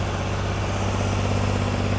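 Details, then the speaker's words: Rebuilt junkyard 4.3 V6 with cam and gapped rings in a turbo AWD S10, fired right up once timed on the correct one of two crankshaft marks: a steady, even fast idle for warm-up and ring break-in, no knocks, ticks or misses. "all right she's running like a top once we got the right crankshaft Mark died in apparently there's two on a 43 fired right up"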